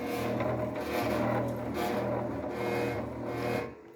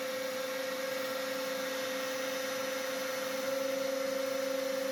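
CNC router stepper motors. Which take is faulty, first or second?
first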